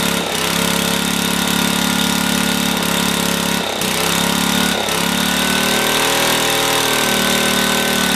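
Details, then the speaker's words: Older Black & Decker generator, Briggs & Stratton 5 HP, rusty tank and dirty carb, mixture just richened a third of a turn: steady drone that sags and recovers every second or so; speed hunting, governor found torn up. "Let me do some look at that governor. something's definitely wrong."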